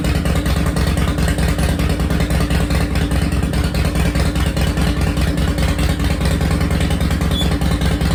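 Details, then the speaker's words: 2005 Harley-Davidson CVO Fat Boy first started after replacing a stripped clutch hub, the clutch and the bearing; even lumpy V-twin idle with a steady low thump and no clatter or knocking. It shifted into gear and back to neutral. "all right she fired up she shifted into gear she shifted back into neutral"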